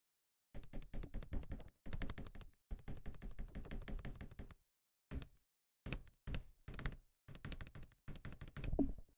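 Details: Akko ACR Pro 68 keyboard spacebar with foam filled into it: runs of soft, deep thocks, each press dull and even with no hollow rattle; normal spacebar sound.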